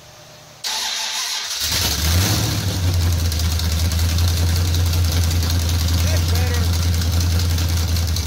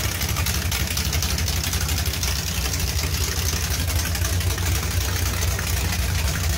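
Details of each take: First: Charger with a 383 V8, whiplash cam and small-valve heads, on open headers with an exhaust leak and a little throttle: loud, deep, choppy idle with a steady cam lope audible over the leak. Normal idle. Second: 383 V8 with Whiplash cam and small-valve heads at idle: uneven choppy cam lope now audible over a sharp ticking puff from a remaining exhaust leak; sounds better than before.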